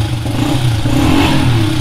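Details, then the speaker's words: Golden Nugget off-road build, now running after custom shifter work: engine revs and holds with a light top-end clatter over the exhaust; builder thinks the valves may need adjusting, not confirmed. "the valves may need to be adjusted a little bit it sounds like now she's good"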